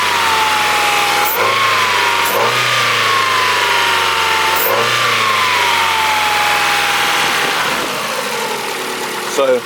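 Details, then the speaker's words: Abandoned Ford engine after new injectors and throttle body, run with accessory belts removed: revs up and down with no squeal or chirp, noise gone, so it came from a belt-driven part rather than the timing belt. "got belt disconnected our noise is definitely gone"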